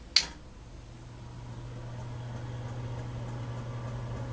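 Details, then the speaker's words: Vintage Emerson Casablanca friction drive ceiling fan, after install with canopy mounted: click then soft even low hum building smoothly, no rubbing or rattle; some start-up bumping that owner suspects is a flat spot in the rubber track; normal running. "Runs good."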